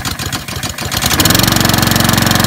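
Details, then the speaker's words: New Honda HRD536C mower with GCV engine, first start: catches after cranking with a puff of smoke, then a fast buzzy run well above normal idle. Engine over-revving; governor spring adjusted straight away to fix it. "And yeah, so you saw me adjust the spring on the governor. Oh, you had to adjust it straight away. That did need to be done because it's just, it was revving too, so I could hear that straight away."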